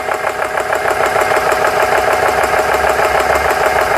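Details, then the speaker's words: GX CS3 compressor after O-ring repair (four O-rings replaced), pumping past 3,000 PSI: quick even chugging strokes, no knocks or rattles; working, though a little slow to build pressure. "That's a little This may be a little slow, but seems to be working."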